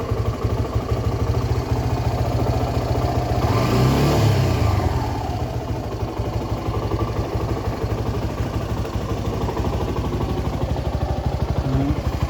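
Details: Suzuki Gixxer SF 250 after an engine oil flush and new oil and filter: steady idle then a clean rise and fall on the throttle blip, no rattles; revs freely, healthy.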